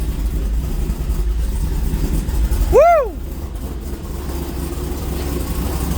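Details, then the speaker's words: Trans Am WS6 LS1 with a big cam, idling for the first time in weeks: a deep, choppy, loping idle with a steady rhythmic chop and no dead misses, all eight cylinders firing on good plug wires; a normal, healthy big-cam idle. "oh yeah oh yeah woo she sounds Rowdy sounds good up here"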